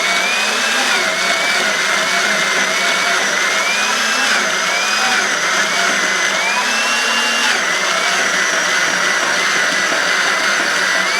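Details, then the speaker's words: 3/4-inch drill on a tenon auger with custom blades cutting the full-thickness shoulder of a 10-foot logging wheel spoke held in a drill press: motor whine repeatedly sags then recovers; drill bogging under heavy load. "So you can hear the amount of power it takes out of this drill to start cutting this whole shoulder full thickness."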